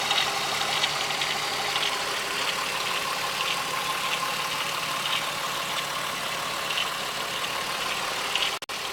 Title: 12v VR6 Ticking/Rattling Noise